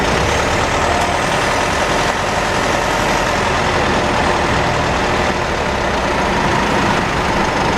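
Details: Mitsubishi 4N15 diesel with V6AWH automatic, cabin recording: thin high whine rising and falling over road and engine rumble; owner later found rear differential overfilled, front diff oil burnt black, ATF about 1L low; unfixed by dealer.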